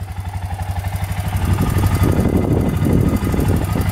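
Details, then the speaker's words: Suzuki Eiger 4x4 ATV, bought beat up and fixed: even, steady idle pulses about three per second, then a smooth rise in revs, no misses, no smoke; normal idle after repair. "It starts right up, no issues at all. Lights all work. Both lights are working. No smoking at all."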